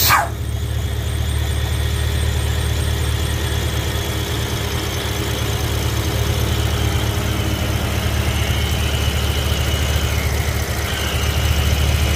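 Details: BMW E70 X5M, S63 engine, earlier UPR crankcase ventilation setup, at idle from underneath: a thin high squeal that wavers and chirps like a slipping belt. Owner says excess crankcase vacuum sucks air past the front main seal, not the belt.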